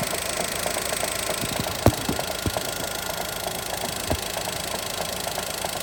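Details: Daihatsu Mira engine: light, regular ticking knock over a quiet idle with the odd sharper clack; engine knock, cause not yet pinned down.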